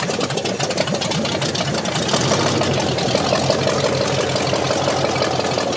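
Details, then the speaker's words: Scrapyard 360 V8 Jeep Cherokee, just started after long sitting, still cold, exhaust working: choppy uneven idle with loping beat over exhaust rumble; sounds like it may have a cam, unsure if running on all cylinders. Lopey idle, cause unconfirmed. "It sounds a little weird, But but it almost sounds like it's got a cam in it, kind of. yeah, it does. You know, it sounds like it's got kind of a wicked idle."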